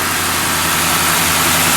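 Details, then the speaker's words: Auction Crown Victoria Police Interceptor V8, about 160,000 km, just started at idle; steady, even idle with no knock or tick, light hiss and a bit of belt noise over the top; judged a good running motor. "yeah just a bit of belt noise yeah no no real planking no real flicking no sunking this is a good look how smooth that is that's a good running motor I can tell you that right away"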